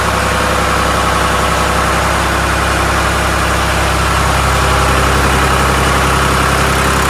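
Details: 1993 Lombardini diesel generator, restored, test lamp connected as load: steady, even diesel thrum at constant speed under light load, no knocks or misses; running normally.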